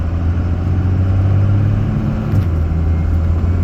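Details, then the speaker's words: Diesel truck with modded piston-driven mechanical fuel pump, compound turbos and large 1000 hp-capable injectors, rolling into heavy acceleration under load: deep, steady drone pulling hard with no stumble, compounds audible; normal turbo spool, fuel pressure holding. "as you can see no problem you can hear the compounds go this has a large injector 1000 horse capable injector right here"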